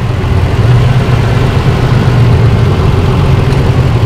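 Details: 2005 Holden Rodeo 3.5-liter, rough idle with one cylinder dead: low, uneven, lumpy stumbling beat of a misfire; fix is one ignition coil and six spark plugs.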